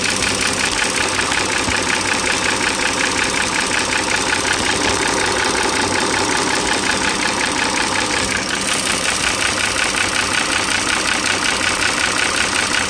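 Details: 2009 Dodge Journey SXT, 3.5 L V6 (titled 3.6 L), recorded close to the engine at idle; quick, light metallic tapping, about 160 a minute, over a smooth idle, which the owner attributes to two worn rocker arms and two rocker arm shafts.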